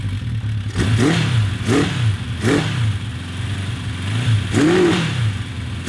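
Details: 1982 Honda CB750 750cc motorcycle engine: sounds mean at idle, but revs swell then sag, falling on its face around 4,000 rpm; loss of power up top, owners suspect timing or exhaust restriction, not carburetor.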